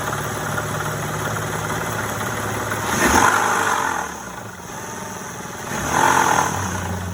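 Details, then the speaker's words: Honda Odyssey V6 idling, then revved twice: a rough knock underneath persists through the revs. The owner suspects a failed Dayco timing belt tensioner with under about 3,000 miles on it. "So I don't know why it failed, but I'm pretty sure that's the issue. I'm gonna show you here in a moment. You can kind of hear the knocking noise down there."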